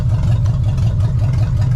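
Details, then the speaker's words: 1975 Chevy Nova, warm after about five minutes running, vacuum lines fixed: steady, even low idle near 1000 rpm, about 30 psi oil pressure, smooth regular pulse, no knocks or misses; healthy warm idle. "so now as you can hear she's idling mint listen to that bad boy so that's awesome that is much better she's idling exactly where she wants to be"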